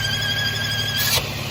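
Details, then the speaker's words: Warm 2011-2015 Mercedes M276 V6, which went into limp mode: a steady, high-pitched, multi-tone whine over a smooth idle that disappears when the oil cap is removed; this points to a failed PCV valve or diaphragm in the external housing. "it goes away. Look at that. Isn't that magic? Ready? [Music] Crazy. So, that points to PCV issues."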